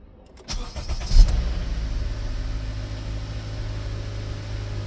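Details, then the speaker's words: 2017 Honda Accord, first cold start after replacing timing chain tensioner: brief crank, then even low idle with no rattle; earlier cold-start rattle came from the tensioner and is gone. "no noise. So the noise came from the tensioner. No noise at all."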